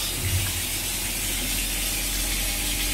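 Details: Vaillant VCW 242E boiler with hot water called, microswitch made: even low hum under a steady watery hiss with no knocks or change; pump running normally.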